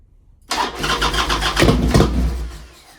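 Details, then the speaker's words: 1998 Harley-Davidson Sportster sitting 2-3 years, enrichener out: short burst of uneven cranking chuffs that never catches or runs; crank no start, owner suspects carburetor not getting gas. "got a feeling. I got a feeling it's not getting gas. Like, what the hell is going on here? It's not getting gas."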